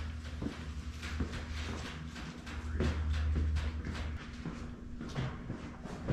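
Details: 2003 VW Jetta 1.9 ALH TDI after swapping in an 11mm Bosch VE injection pump that sat 5 years, cranked with the injector lines off: a slow, even chug that never fires while checking for fuel from the delivery valves. Fuel flow was confirmed.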